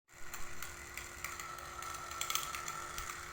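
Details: Aquarium water pump: steady hum with irregular sharp clicks and rattles from a loose, wobbling impeller knocking inside; fix is to disassemble the pump, clean scale from inside and glue the wobbly impeller.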